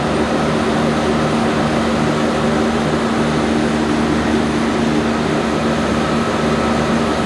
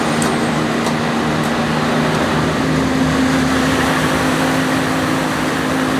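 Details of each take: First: 1106 diesel generator running steady under 100% load after the injection pump droop adjustment that fixed hunting and unstable frequency. The drone holds one pitch with no surging or hunting, and the governor holds speed. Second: Generator with a 1106 diesel engine, before injection pump droop adjustment, with unstable frequency and the engine visibly bumping. A drone that never settles: pitch wanders, then steps up as the governor surges; the engine is hunting.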